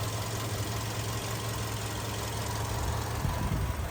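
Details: 2008 VW Golf 6 1.6 MPI petrol, manual, 178,000 km, imported from Germany from a single first owner: quiet, even low idle hum, no misses or knocks, no smoke; starts well cold and hot. Normal idle.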